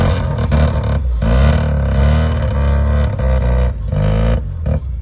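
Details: 1985 Mazda RX7 rotary, first run after sitting 30 years: uneven, surging low drone that rises and sags with no settled idle and lots of smoke, only just running on sprayed-in fuel; seals need lubricating before longer running; rough running.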